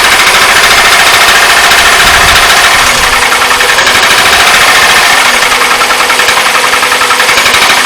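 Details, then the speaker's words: Astra engine cold start after about 1,000–1,300 miles, rattle seemingly worse than before: loud busy metallic chattering about three or four beats a second; engine rattle, source unconfirmed. "And I thought I'd just do a quick cold start just so you can hear it rattle, because I think it's a lot worse than it was."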